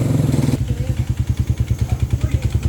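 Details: Single-cylinder motorcycle, about 110 on the odometer and never refreshed, idles with a heavy clattering knock on every beat, audible from the gate. Valve-to-piston contact and piston slap.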